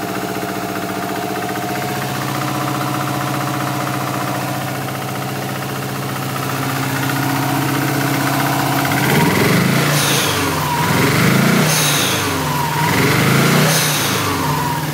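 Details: Subaru WRX flat-four at idle with a misfire on cylinders 1 and 3: an uneven, lumpy, stumbling beat; those plugs looked fine but were fuel-coated, so the owner suspects an ignition problem.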